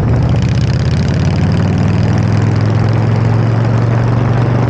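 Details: Harley-Davidson V-twin with electronic ignition and a Typhoon carburetor, after timing set and carb mixture adjusted: deep, even idle with steady low thump and no knocks or misses; normal idle.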